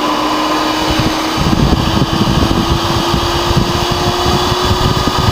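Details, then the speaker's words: Dell GX280 desktop that won't work: power light stays orange and it never POSTs; the cooling fan gives a loud, steady, jet-like roar with a constant whine and never slows down. "stayed orange and yeah so so this one sounds like a jet as well imagine having this Dell and that Dell over there both running oh it would be so loud in here holy crap"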